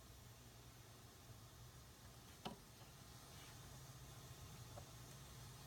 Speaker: there's nothing patched into this filter so if i go to the output here it's the same thing I can hear filter noise